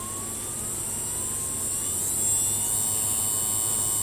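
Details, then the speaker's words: Kenpro KR-680DC rotator motor, not yet serviced, on new DS-7R controller with PWM DC speed control, run flat out: thin hiss and high whine rising with speed over faint hum; quiet in one direction, noisy in the other, owner suspects a worn brush. "so i've got to physically see what's causing that strange it sounds like brush noise so i might have a worn brush i'd like to check that out so one side's really quiet one direction i should say it's really qui"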